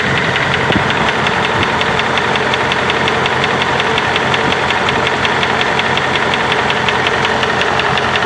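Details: 2005 Dodge Ram 2500 4.7: steady light ticking, roughly three per second, over an even idle; owner suspects bad lifter, rods, wrist pins or timing chain tensioners, says not exhaust manifold gaskets; cause not confirmed.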